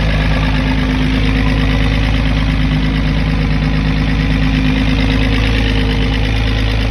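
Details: 1996 VW Cabrio that had a crank-no-start, running after a new fuel pump was fitted: deep, even idle hum holding steady with no misses or knocks, running cleanly and settled.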